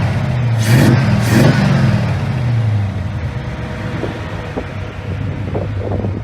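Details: 289 V8 running a lawn mower carburetor, no idle adjustment, about 20 inHg vacuum; steady low even burble idling about 700 RPM, no misses or knocks; normal idle.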